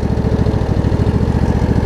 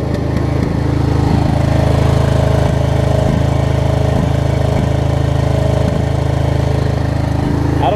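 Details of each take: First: Craftsman DLT riding mower with a Briggs V-twin, after a carb clean and kill and stator wiring repair: it idles low and steady with an even throbbing pulse and no misses or surges. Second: Craftsman DLT riding mower, Briggs & Stratton V-twin, after kill and stator wire repair, running at speed before carburetor bowl cleaning; steady but stumbling with an occasional skipped beat, intermittent misfire.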